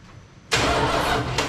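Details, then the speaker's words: 1979 Dodge D-100 Custom 318 V8 automatic, sat about 10+ years with no keys, cranked with a remote starter trigger: the starter spins the engine at an even pace without binding or clunking, so it isn't seized; gas smell noticed. "all right so at least we know she ain't locked up i smell gas flowing in there"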